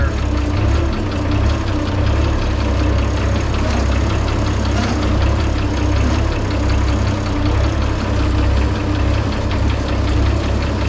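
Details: International 1256 diesel tractor idling after hydraulic oil filter replacement and moving to level ground; steady, even idle with low unchanging rumble, no knocks or misses.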